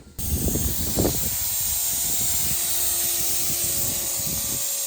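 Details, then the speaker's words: 1965 Chevy pickup built from parts, running: loud steady hiss of steam under the hood, first suspected between them and the firewall, found at the thermostat housing; coolant steam leak. "I think we might have a uh a leak between us and the firewall let's see what's going on"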